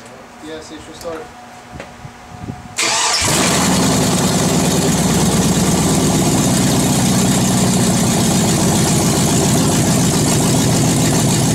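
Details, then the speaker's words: 2001 Chevy Suburban, first start-up after cylinder head rebuild and reinstall, exhaust not yet refitted: engine cranks briefly, catches and settles into a steady, even idle with no knocks or ticks; sounds tight and healthy, slight smoke from oil on bolts. "you shove right off it sound pretty tight not too shabby for old Chevy fire"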